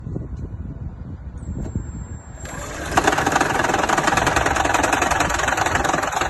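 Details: Toyota Prius 2ZR petrol engine with a blown head gasket: cold morning start cranks and catches into an uneven, pulsing, shaking idle thumping about three times a second, a cold-start misfire that will worsen if left.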